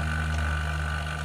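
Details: Half-HP vacuum pump evacuating a one-door refrigerator with the valve fully open, smoke from the exhaust as air is drawn out: constant low motor hum with a faint higher whine held steady; pump running smoothly while pulling down.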